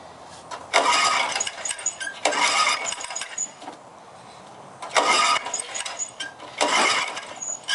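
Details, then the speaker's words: Four-stroke Honda lawnmower; four pull-cord bursts, each a short raspy turnover that dies away without firing, cause unconfirmed. Cranks but won't start. "Having trouble starting the lawnmower today."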